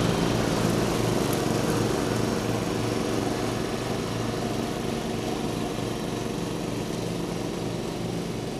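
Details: 1989 John Deere RX75 riding mower cutting thick grass: the single-cylinder engine holds a steady, even beat of about three pulses per second under cutting load, with no misses. The deck may be set a little low; it is running normally under load.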